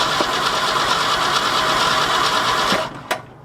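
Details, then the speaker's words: 1966 Ford F250 with 352 FE V8, parked since 1992, cold February day: starter cranks at an even rhythm for about three seconds with no firing, then stops. Cranks but won't start; no fuel through the carburetor suspected, not confirmed. "don't think we're getting fuel through the carburetor probably gonna have to pull that thing off and do a clean on it"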